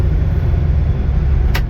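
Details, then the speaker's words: Combine being cleaned, revved slightly above idle: steady deep engine rumble with no rattle or knock; an unexplained rear-end noise heard at idle goes away once revved, so it runs normally. "t know what's making that noise in the rear end here but as soon as they rev it up just a little bit more above idle it's fine"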